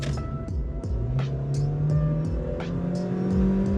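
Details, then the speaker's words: Cheap used car at full throttle up a highway on-ramp, with a wobbling rear wheel and alignment slightly off; the engine note climbs smoothly and steadily with no knocks, misses or whine, and it sounds and feels healthy. "not very exciting but it moves and as Brandon said when we first got in this I mean it sounds healthy it feels healthy"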